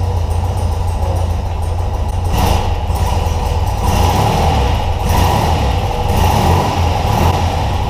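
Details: BMW Airhead boxer twin after cylinder head torque and valve clearance adjustment, first start of season after starter no-power issue: deep even low thrum with gentle blips settling smoothly; normal idle.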